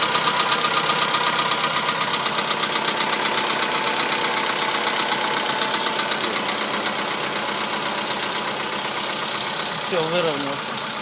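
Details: Cold start after a night parked outdoors: VW Polo Sedan idles with a fast, even ticking knock about four per second; hydraulic lifters were suggested, but the owner doubts it, cold-start engine knock of unclear origin.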